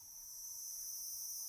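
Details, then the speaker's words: Cheap Chinese DC-DC buck/boost converter module fed 13.6 V, output adjusted up to about 15-16 V under load: thin steady piercing high-pitched whine with stacked tones, squealing from the inductors. "uh that seems all right but yeah there's quite a lot of squealing from the inductors at various points"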